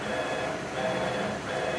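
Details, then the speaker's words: CNC machine Z-axis, previously rough at about 200 in/min, now traversing at full speed with the ball screw nut plate bolts loose during realignment: a steady, even whirr with no scraping. Already sounding better. "So now I can see it's already sounding better."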